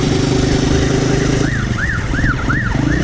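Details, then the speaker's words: 2008 Honda CG 125 motorcycle riding in fifth gear with warbling siren-like whine rising and falling about three times a second; runs fine in other gears; suspected worn fifth-gear gearbox cog, not confirmed. "então vamos lá vamos terceira família olha na quinta marcha o barulho que acontece"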